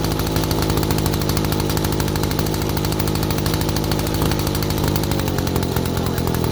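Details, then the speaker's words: 1947 two-stroke large chainsaw, made in Chicago, barn find unrun for over 40 years, first start after work: loud even buzz at steady pitch, now idling too, no misses or surging; running cleanly. "so we got a running machine at idles now too so that's cool"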